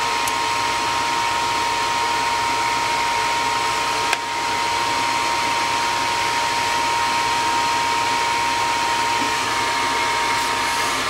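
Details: Gas furnace above a carport, after a no-heat call, just fired up after replacing a cracking hot surface igniter (new one reads 70 ohms): steady even air rush with a faint constant hum, no rattles, scraping or cycling; running normally.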